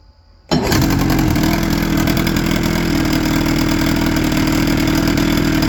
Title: 1996 25 hp johnson. came in for a no start. 1 timing adjustment later!